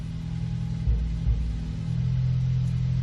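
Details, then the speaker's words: 2014 Ford Focus ST 2.0 EcoBoost, cold start, heard at the exhaust at idle: deep rough idle with uneven pops and stumbles; misfire on cylinders 2 and 4, confirmed by scan-tool misfire counter. "So it looks like 2 and 4 are the real problem here. And you can actually hear it misfiring. You don't even need a scan tool."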